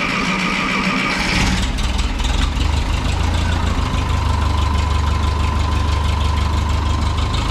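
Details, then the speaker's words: 1951 Ferguson TO-30 tractor after cleaning and refitting original spark plugs, intake okay: catches after short crank, steady even low idle without misses or knocks; runs like a champ. "uh we cleaned up the stock ones that have been in there for who knows how long and she runs like a champ so let's give you a little start i kind of explained all that the intake's okay everything's happy"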